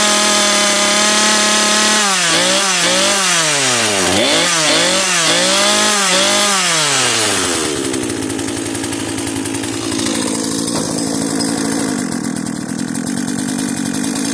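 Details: Cheap modern chainsaw, a marketplace find, just started on fuel left in its tank: revs blip up and drop back crisply, then hold a steady high-speed scream without stumbling. The carburettor is working. Normal running.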